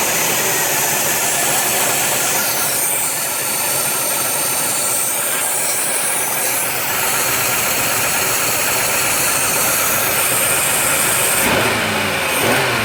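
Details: 1990 Oldsmobile Cutlass Supreme idling with a steady, loud hiss that doesn't change with the idle; vacuum leak.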